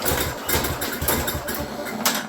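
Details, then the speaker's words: Tecumseh-engined mower with old carburetor, gas added after tank found empty: short pull-start bursts with chuffing but engine never catches; no-start, fuel and carburetor suspected, not confirmed. "it's not in the sump maybe that's why it won't start"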